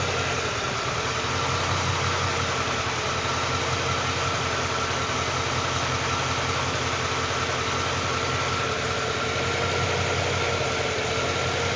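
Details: 2012 Ford Mustang with 3,500 miles: engine idles with an uneven, loping beat of about two to three pulses a second instead of a smooth hum; rough idle, cause unclear.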